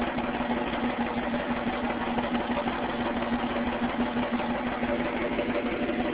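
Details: 1998 Ford Mustang V6 idling with an uneven, stumbling beat, the steady hum broken by a misfire; problem found before the engine was rebuilt.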